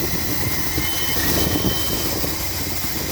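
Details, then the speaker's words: 1981 Dodge B250 custom van, long parked, V8 idling warm during a coolant diagnosis; uneven, hissy rumble with faint irregular pulses, rough idle, owner suspects a vacuum leak up front or possibly a spring. "sounds like I have I have a vacuum leak somewhere. up front here. That could be that spring, too."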